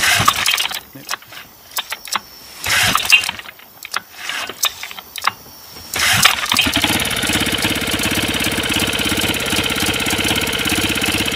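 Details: Small outboard modified to run on LPG, using a needle valve as throttle: a few pulls with clicks and handling, then it catches and settles into a steady, fast, even buzz. It runs normally on gas.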